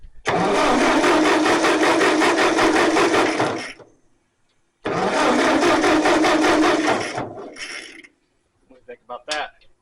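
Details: Old Ford 8N tractor (titled 2N) sitting for years, first start attempt: two bursts of steady even starter cranking, engine turns over but never fires; owner suspects choke needs work and smells rotten fuel; cranks but will not start.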